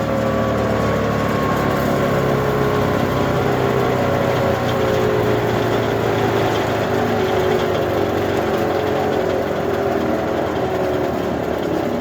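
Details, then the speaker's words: Tractor-driven wood chipper after feeder repair and greasing, shifted to neutral at 540 RPM: steady even drone slowly dropping in pitch as it coasts down a long time; sounds healthy. "sounds pretty good doesn't it takes quite a while to stop"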